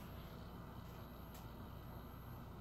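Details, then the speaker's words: Mitsubishi WD720U-G DLP projector showing a service-required warning LED: a steady, even rush of air with a thin high whistle on top and no change in speed. A worn, noisy cooling fan. "I don't know if you can hear that. That's that fan."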